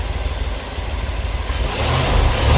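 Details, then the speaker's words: After misfire repair (cracked ignition coil with spark tracking replaced, new cap, rotor, spark plugs, wires): even steady engine note revving cleanly with no stumble or missing beats; running right. "Got that misfire taken care of. Now I can put this joker back together."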